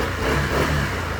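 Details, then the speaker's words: Keyless scooter with a failed receiver, restarted by key and push button after joining the yellow-green wire to power the ECU without the receiver. Fires and picks up into a brief, even rev without hesitation; normal start. "It's alive!"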